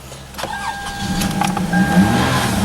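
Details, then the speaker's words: Car with its battery disconnected, started using only a GBB 500A portable jump starter: a short crank with chimes beeping, then the engine catches and settles into a steady idle. Normal engine start. "it has enough juice in it to actually physically start the car up and possibly keep it running now that's pretty impressive that it will start the car"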